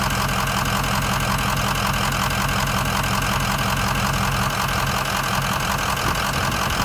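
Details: 2004 Excursion 6.0 Powerstroke diesel (head studs, EGR delete, blue spring) after spirited driving: a loping, rough idle about twice a second, traced to a bad #7 injector that was then replaced.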